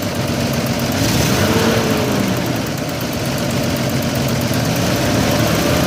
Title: Vacuum leak?